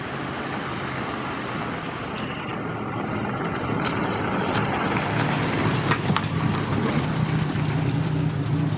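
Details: Ford Cortina Mk1 on its original 1200 four-cylinder (carb diaphragm slightly leaking), runs with a steady, even low rumble, no knocks or misses, holding speed smoothly; normal running.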